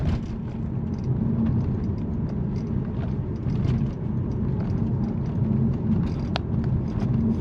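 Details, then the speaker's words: Mercedes C63 AMG (W204) driving: irregular light plastic ticks and taps from behind instrument cluster over deep road and engine rumble, mic right next to rattle; fix attempted with felt. "that's with the microphone right next to the rattle so you can hear it quite clearly there but actually it's more like when you're driving it's like a little someone just tapping on your head"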